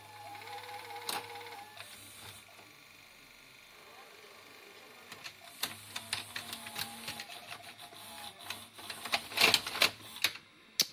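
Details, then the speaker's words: Toshiba V855F VHS video recorder after capstan belt replacement: quick clicks and short motor whirs as the deck loads and shifts modes, mechanism fast; normal tape mechanism operation. "Voilà, ça fonctionne. Ça fonctionne, ça fonctionne. Pause. La méca est rapide,"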